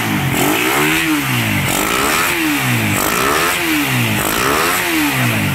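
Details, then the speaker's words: Raider 150 motorcycle, engine very cold, after repair (parts replaced, carb swapped): revs up and drops back about five times, each sweep smooth with no rattle or clatter underneath; the cold-engine clatter is gone, normal cold idle and revving. "Ayan mga boss, malamig na malamig ang makina. Wala na yung kalampag, yung kalansing."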